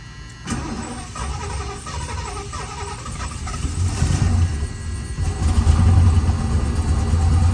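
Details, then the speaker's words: 1977 Lincoln Continental Mark V, stored three years, new battery, known vacuum and exhaust leaks: long steady cranking, low churning rhythm, never catches; fuel only beginning to pass the filter, not yet reaching the carburetor. "As you can see here, fuel filter is finally starting to get fuel going through it. I think another start or two and it should continue running"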